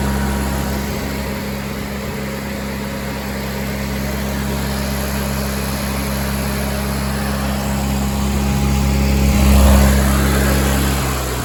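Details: Miller Bobcat 225G welder-generator, idle for years, after starter solenoid, ignition pickup, alternator and fuel pump work and an oil and fuel line change: smooth, even low hum, no knocks or misses; generating fine, idle possibly set low, slow to warm.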